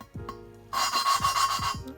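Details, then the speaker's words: Honda B17A1 VTEC head, hand lapping Ferrea valve after tapping it on the seat: harsh gritty rasping each back-and-forth twist, crusty again as compound cuts; seat not finished. "It's crusty again."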